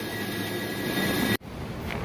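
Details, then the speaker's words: Walk-in freezer condensing unit on the roof running after the liquid line is opened; the freezer had been sitting at 30–35 degrees with the evaporator a solid block of ice, and the liquid line solenoid valve was installed backwards. Steady even hum, pressure rising, normal running. "all right we're running that's good pressure's rising"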